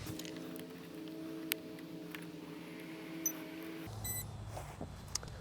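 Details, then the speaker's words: MFD 5000/3000 heavy-lift drone with Pixhawk 2.1/Cube and HereLink, battery just plugged in: short burst of electronic tones, the normal motor power-up beeps at boot with the hardware safety switch engaged. "it's gonna go ahead and do its nice little beeps and then our here to link up and it's going to start slowly loading the all the parameters here"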